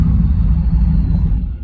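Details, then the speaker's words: Car with an L31 Vortec 350 V8 and TPI intake, cold idle. Low uneven rumble that surges and sags with slight misfiring; owner suspects fuel loading from a leaking injector. "But you can hear it misfiring a little bit, like it's been loading up with fuel, like one of these injectors might be leaking or something."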